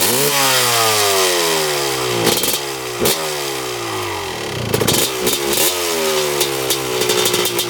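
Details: 1995 Honda CR250 two-stroke on first test ride: revs climb but sound flat, blubbery and break up; bad mid and upper range bog, owner suspects lean running, cause unconfirmed.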